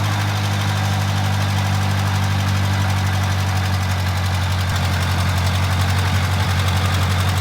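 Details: 1969 Dodge W300 Power Wagon with a 440 big-block swap: deep, steady low rumble at idle, even firing, no knocks or misses; sounds healthy.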